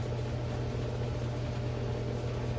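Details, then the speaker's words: Older Patton fan that had stopped working, at first plug-in after dust vacuuming and shaft cleaning, before lubrication: on high it hums steadily but turns barely at all, with faint air rush. Sluggish motor; owner suspects a lubrication issue or a shot motor. "oh okay so it is spinning well that's that's great um i promise guys no no clickbait i swear i did not uh didn't stage this but this is high and it's barely moving so we may just have a lubrication issue or this motor could be shot"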